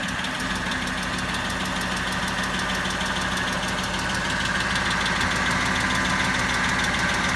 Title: Ticking sound